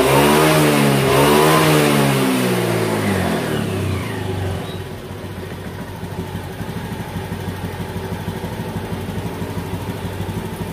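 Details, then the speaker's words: 2018 Honda Beat that lost power at high rpm from a faulty TPS, after the TPS workaround fix: engine revs strongly, then drops cleanly back to a steady even idle with no stumble or hesitation. "sudah mantap jadi begitulah tadi cara mengatasi TPS yang sudah rusak ya"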